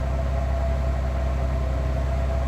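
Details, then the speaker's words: 2005 Ford Freestyle 3.0 Duratec heard at the tailpipe after replacing a misfiring aftermarket spark plug with a Motorcraft SP433X: steady even idle rumble with no puffs or skips, the earlier miss gone. "But yeah, this engine is running pretty smooth now."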